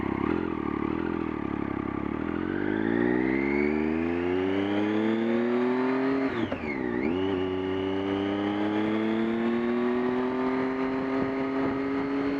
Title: Buzzing noises while in neutral